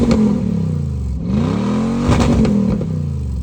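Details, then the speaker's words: Lexus GX470 with muffler removed (straight pipe) after rust rotted the exhaust off at the flange: loud, deep, raspy exhaust booming with each rev and droning heavily, enough to cause headaches. "as you heard there it did sound pretty mean so there were no complaints on how it sounded except for the fact that it did drone on and that began to hurt my ears began to gave me headaches"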